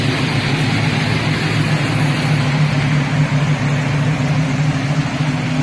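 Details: Freshly installed Oldsmobile 350 V8 swapped into a 48-year-old Olds wagon, idling at the gas pump (owner noted surging earlier): deep, low idle with a steady beat and slight unevenness. Healthy idle.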